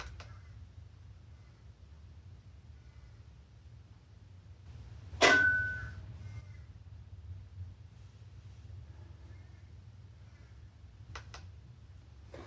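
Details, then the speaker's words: 2021 Hyundai Elantra CN7A 2.0 L, electric parking brake commanded into brake pad change mode with a Foxwell bi-directional OBD2 scanner: one short click and a split-second whir instead of a full wind-back. The motor fails to retract. "I didn't hear it wind all the way back. It just went click. It's not supposed to do that. It's supposed to go wee and wind it all the way back, and it didn't do that."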